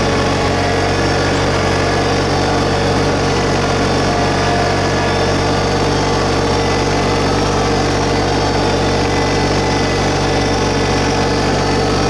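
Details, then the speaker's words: 2022 LS MT125 compact diesel tractor with loader, backhoe and mower deck, about half an hour on it, just fired up: steady, even diesel drone at slightly raised idle, no knocks or misses; sounds pretty good, normal running. "So we're going to go ahead and get it fired up. Sounds pretty good."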